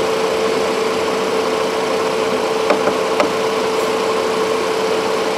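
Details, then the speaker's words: 2016 Cadillac SRX at idle with AC on, after replacing AC pressure switch: steady even condenser fan rush, constant mid-pitched hum, no rattle or surge; fans running normally. "all right so running the same full ac fans kicked in good fan speed"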